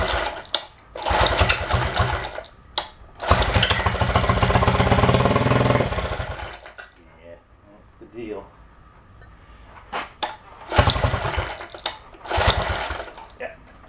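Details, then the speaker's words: Homemade mini bike small single-cylinder, primed, owner suspects dirty carb: catches in short bursts, surges and dies back, never settling; rough running. "I think this one's suffering from a little bit of a dirty carb so let's go give her a little bit of a prime and see if we fire it up and let it suck through"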